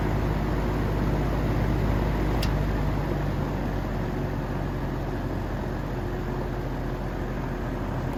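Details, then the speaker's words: 1950s GE box fan after motor replacement, running on high blowing outwards: steady even low hum and whoosh of air with no ticking, rubbing or wobble; new motor runs normally on high. "So gonna have to get some electrical tape, but for now this thing is running. I'll start it up on high, going outwards."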